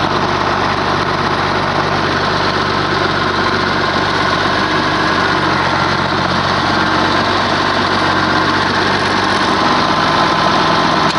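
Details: Oliver 1850 diesel tractor idling after Hydra-Power drain: even, steady diesel clatter with no knocks or misses, running smoothly and healthy.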